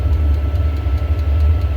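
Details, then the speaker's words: Freshly cleaned and reinstalled diesel heater after soot-clogged shutdown (owner suspects mixed fuel); deep steady low roar with no pulsing or misfire, burner running flat out and smoking while burning off chamber residue. "Oh, she's really, holy. Now she's roaring and smoking. Oh boy."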